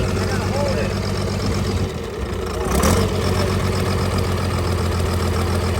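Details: Cummins diesel burnout truck idling, valve cover planned off: uneven lopsided beat with one firing pulse dropping out, a miss; one cylinder clearly not working, temps similar; dead cylinder from broken rocker bridge.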